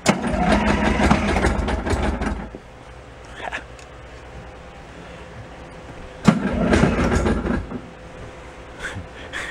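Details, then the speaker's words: Beaver amphibious vehicle with a blown engine replaced by a homemade drive train, cranked on 12-volt deep-cycle batteries: two bursts of steady cranking at about three turns per second with no firing; owner suspects no gas. "yeah probably no gas in it"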